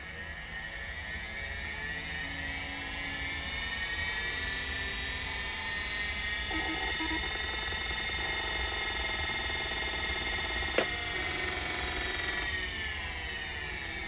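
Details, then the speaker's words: Convergent Technologies AWS hard drive, not connected to anything: high spinning whine sags and recovers while heads flutter and seek, platters slowing as if meeting resistance; cause suspected, not confirmed; platter speed dropping during head seek. "I hear the motor I hear the platters slow down some while it's doing that so it's almost like it's getting some resistance over the platters"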